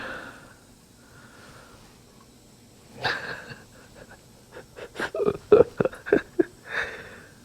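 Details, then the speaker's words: Nissan 240SX cylinder-by-cylinder test: irregular gurgling pops and bubbles in the coolant at cylinder 4, combustion air entering, blown head gasket in cylinder 4. "Bubbling out the coolant, cylinder 4. So we do have a blown head gasket in cylinder 4."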